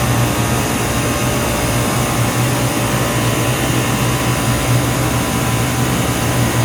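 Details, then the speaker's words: 25-year-old 50-ton Trane split system with a no-cooling complaint: steady loud compressor hum and low drone, fans barely running yet. One stage runs about normal, the other is way low on refrigerant, with one liquid line cold and a warm liquid line up top. "i think this stage is okay this one's gonna be way low oh yeah my liquid line is cold i got a nice warm liquid line up top"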